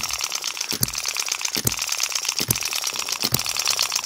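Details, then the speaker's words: Model hit-and-miss engine after moving the latch edge and slightly tightening the governor spring: sharp firing pops about seventy a minute over light clatter, latch barely moving, speed a little faster; governor latch barely engaging. "that is barely moving that latch just barely moving it's a nice speed that's a little bit faster than it was um I just tightened up the spring a little bit that is really nice"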